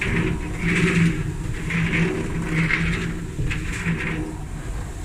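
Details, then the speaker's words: Dryer after rollers were cleaned and lubricated and a new belt fitted, drum turned by hand: soft whooshing swell about once a second, no grinding; only the new belt lining up on the pulley. "That noise is the belt lining up on the pulley. That's it. We'll spin it this way. Easier."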